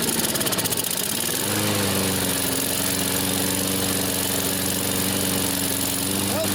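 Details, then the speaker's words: Briggs & Stratton 190cc flathead on an MTD mower, first run after flywheel key, ignition and auto choke work: rough, choppy start settling into a steady hum, auto choke opens too early; governed speed later set to about 3120 rpm. "Yeah, that choke pan came off a little too [Music] early."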